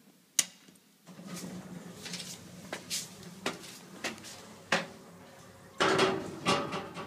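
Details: Amicop hydraulic elevator installed 2007, 300 kg/4 passengers, 5 floors: irregular clunks, bangs and scraping knocks as the door operates, weird noises stopping at floor 4, cab shaking while moving.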